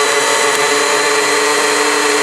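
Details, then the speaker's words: Blender's series (universal) motor switched to high speed, voltage jumping to full for maximum speed: a loud, even, high-pitched whir holding steady with no knocking or grinding; a normal high-speed run. "This unit also has a high speed. So when I switch to high, the voltage jumps up,"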